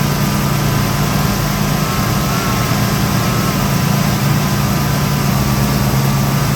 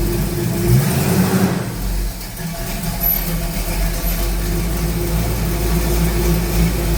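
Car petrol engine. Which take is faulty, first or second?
first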